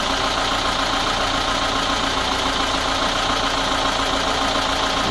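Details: VAZ 21213 petrol engine at idle after valve adjustment and timing chain tensioning: steady light knock about three or four per second; owner suspects the camshaft, unconfirmed.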